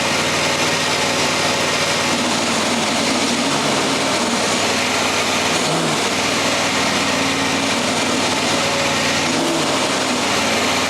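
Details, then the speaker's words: John Deere X304 four-wheel-steer riding mower running: harsh, raspy grinding over the engine from a worn transmission drive pulley; same grinding complaint two years earlier. "Did you see what it was that's making that noise? It's this here. It's this transmission pulley."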